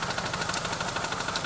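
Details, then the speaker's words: 1999 BMW 528i E39 (M52TU) with an ongoing ticking noise and recently replaced lifters, idling after bogging badly on a 10-15 minute drive. Busy, uneven idle with light ticking and no check engine light; the taped intake boot hanging open is suspected. "and it's all hanging open so I'm guessing that's why we were bogging out uh as of right now let me see here yeah no check engine light it is running rough it has probably to do with the intake boot"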